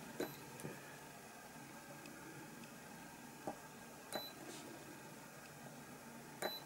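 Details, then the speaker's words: Battery spot welder joining Li-Ion cells in a pack build, probes pressed moderately on either side: short sharp beeps at irregular intervals, occasional small spark, normal operation. "it's going to be a crack now it just beeps and hear that sometimes you'll get a little bit of spark"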